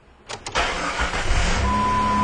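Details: Jeep with repeat fuel pump failures and hard start, after hard start repair, fuel pressure holding: brief crank, fires right away and settles into a steady even idle; clean, healthy start, fixed.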